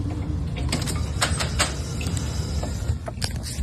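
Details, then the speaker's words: BMW 850i E31 V10 with electronic throttle bodies, a working reference car: key-on gives a steady low hum with short squeaky clicks as the throttles and linkage move, the normal key-on sound. "So this is what it's supposed to sound like when you key on."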